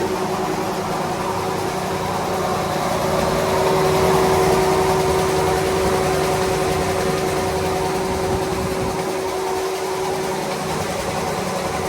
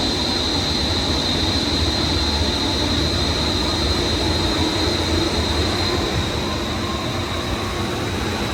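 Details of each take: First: Daikin commercial air handler serving a large auditorium, its blower running with a steady loud roar and a constant whine from worn blower bearings; the blower motor was already replaced for loud bearings, and the blower bearings are to be replaced. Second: Daikin commercial air handler serving an auditorium, after replacing both blower bearings and blower motor: steady even rushing roar, faint hiss, vibration gone, best it has sounded. Normal blower running.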